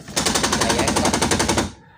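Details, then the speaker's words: Car power window going up: rapid sharp clatter at top of travel as the motor gear skips; owner suspects a worn or jammed gear, found shifted gear on disassembly. "apa ya yang terjadi di dalam sini ya nanti kita bongkar dulu apakah gearnya ada yang kemakan atau mentok"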